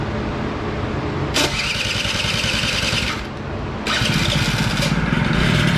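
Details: Honda Spree 50cc two-stroke, smoking slightly from premix added to tank: uneven flat weak buzz with no crispness as it revs; no power, compression read low, possible blown motor.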